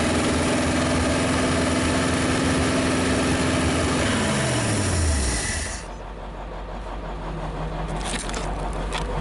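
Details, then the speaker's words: 1956 Studebaker Golden Hawk V8 first start, ignition bypassed, compression unknown: even steady beat firing on all cylinders, revs quickly, then sags and dies; won't run on its own yet. Engine running on all cylinders. "It revs quick. It was actually running on all the cylinders."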